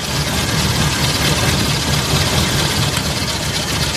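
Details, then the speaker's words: Petrol car idling loud and uneven during a plug-wire pull test; pulling each wire in turn shows cylinder 4 is dead, possibly due to a dead spark plug or broken plug wire. "Nah jadi kan suaranya pincang kita coba cabut satu-ke-satu tak berfungsi Agar kita tahu Suci mana yang menyebabkan mobil ini bincang"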